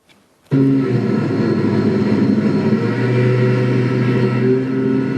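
Smooth, steady engine drone holding an even pitch with no sharp metallic pinging over it; combustion sounds clean and healthy.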